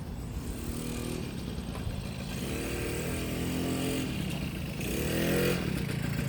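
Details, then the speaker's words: 1972 Kawasaki MT1 small two-stroke single kick-started on choke: steady popping, rising and falling with throttle blips, no knocks or misfires; running fine. "Alright, not bad for a runner."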